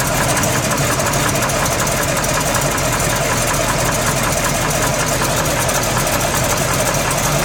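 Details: Freshly built SBC 350 (aluminum 64cc heads, 10:1 flat-top pistons, Edelbrock intake, 600cfm carb, likely out of tune), idling in gear: sharp knock ticking in time with the engine; persists with each plug wire pulled, owner suspects piston slap or flexplate.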